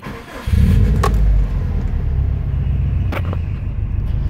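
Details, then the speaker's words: 2005 Subaru WRX STI at idle with the hood open in a parking garage: deep, lumpy idle rumble with faint brief chirps from a failed AC compressor; an exhaust leak at the downpipe may also be audible. "you'll hear that little chirping as the AC compressor died so it needs to be your place is saying I'm dead I'm dead"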